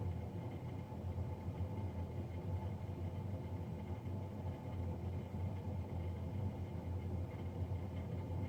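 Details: Navien NCB-240 boiler recorded three days after a Jan 31, 2020 service: continuous low droning rumble with faint steady hum above; combustion fan running louder than it should.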